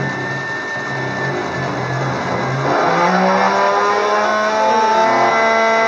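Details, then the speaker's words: Gerber D200 X/Y controller self-test: X drive tones step unevenly with a staggering, rumbling, rough edge under the stepper whine, showing a noisy X axis. "Tones are the X drive. Seems to have like a rumble in it."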